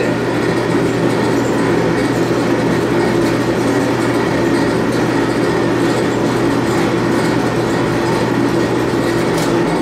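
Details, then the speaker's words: Admiral AED4675YQ1 clothes dryer after replacing heating element, thermal fuses, thermostats, tub bearings, belt and tensioner to cure loud noise and no heat; even, steady drum rumble and low hum, no squeal or scrape, heat working. "okay she's fixed completely now the bearings are all sounding great uh the heat works"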